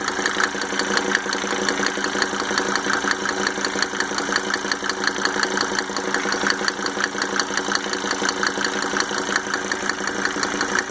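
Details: Mercedes 300D W124 2.5-liter diesel, just fitted with five newly rebuilt injectors with Monarch nozzles: steady idle with a sharp, even tick running through it and no change in rhythm; owner can't determine the tick's source.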